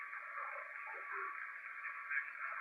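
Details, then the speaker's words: FT-101 transceiver with a noise blanker mod (PB1292B) and a roughly -25 dB attenuator switched in: steady hissy noise with faint pops and crackles. Radio impulse noise is still getting through. "but you still hear the noise hear it hear it crackling"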